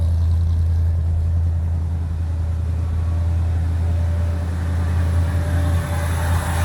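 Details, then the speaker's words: 1965 Chevrolet Impala convertible with new Chevrolet 350 crate V8 and Muncie 4-speed, cold start with choke set: deep steady burble, smooth even beat, no knocks or misses; healthy cold idle. "Let's go ahead and do a cold start on the 65 Impala. Set the choke."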